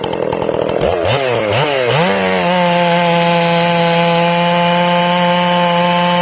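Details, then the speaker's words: Ported Stihl MS461 in break-in: after the high jet was richened a quarter turn, it is turned back. The engine bogs and burbles, then clears into a steady, crisp high scream under load, running clean. "Now I'm going to turn it back and you'll hear it clean up."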